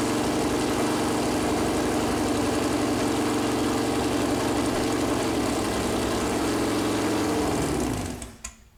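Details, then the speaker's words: Freshly built Chevy big-block 454 V8 on an engine run-in stand, first start attempt: runs briefly with a lumpy, fast patter, then pitch sags and it dies; fuel pump had been left off after filling with water, starving it. "I had forgot to turn the fuel pump back on after filling it with water"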